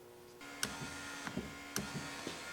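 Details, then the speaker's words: Dodge truck with 5.9 Cummins, door panel off: steady electric motor hum with sharp clacks as the power window motor rolls down with no switch pressed, constant power; owner suspects a wiring fault. "I was wondering why I had constant power. I'm not even doing anything. It's rolling down."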